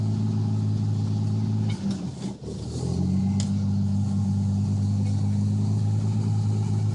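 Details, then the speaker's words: Truck stopped in reverse then neutral: idle dips and stumbles, then engine revs up to a higher steady speed without throttle before calming to a rough idle; unintended surge when taken out of gear, cause unclear. "this is stopped in reverse this is neutral the truck just revved up for absolutely no"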